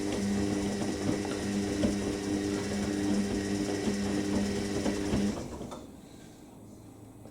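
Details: Indesit IWC71452 washing machine on program 1, whites at 90°C, 1400 spin, during heating: steady motor hum with a light even ticking rattle about four times a second, then it stops; source unknown, suspension to be checked at spin.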